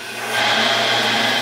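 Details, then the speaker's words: 110-year-old Crescent bandsaw after fitting a new motor mount and pulley drive with wheels realigned: smooth, even whir with a steady low hum and no knocking or rattling; much quieter than before and cutting better. "Much quieter than it was before. Cuts much better. It's like a whole new saw."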